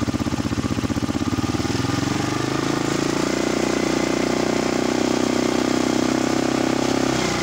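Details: Honda XR200 motorcycle, reportedly freshly overhauled, which would not start, with cut stator wires and a replaced fuse, running after repair: even steady thumping settling to a smooth beat; regulator later found undercharging; normal idle.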